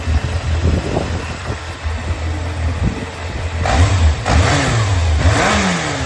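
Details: Running 4HM-type Yamaha XJR400 early-model engine assembly, compression measured, start-up check: smooth even low rumble with clean throttle blips, no knocks or ticks, no abnormal noise; normal running.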